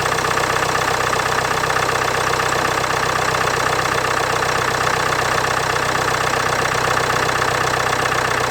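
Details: 2016 Land Rover Discovery Sport Ingenium D180 2.0L four-cylinder diesel at cold start below 10°C: steady even diesel clatter with constant beat, no rattle or slap; normal cold idle, little difference before and after timing chain replacement.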